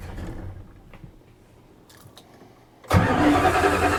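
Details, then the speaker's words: 1976 Dodge Club Cab Adventurer, tired 318 V8: fires after a quiet crank and settles into a deep, regular bottom-end knock about three a second, newly appeared despite oil pressure now present; rod knock. "Yep, that's rod knock."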